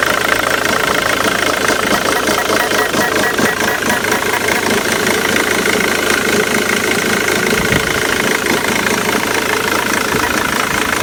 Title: Mondeo 2.0 tdci titanium 2006 rough idle